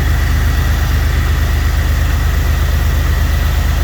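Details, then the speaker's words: Jeep XJ after alternator replacement (it had been squealing at startup): steady, even low idle with regular pulse, no squeal or chatter, charging; running smoothly. "Running nice and smooth. Sounds like the clutch is on."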